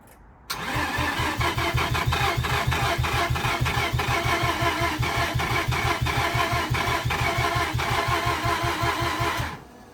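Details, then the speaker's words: Mazda RX8 engine after rewiring, with a plug missing and the crank position sensor questioned: steady starter churn with even pulses about three per second for nine seconds, never catching. Oil pressure is not climbing; the cause is suspected, not confirmed. "Right, we're not getting oil pressure. And there's a thing here. That's why it's not starting, mate."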